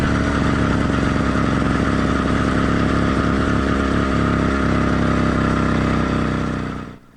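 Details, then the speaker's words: Cheap motorized bike kit two-stroke with single-circuit carburetor, warmed up but not heat soaked, mixed riding conditions: steady buzzing run with occasional soft uneven skips, normal light four-stroking, smoothest under load such as accelerating. "the previous Clips you would have noted a mix of different writing conditions both with the motor operating smoothly and with four stroking conditions"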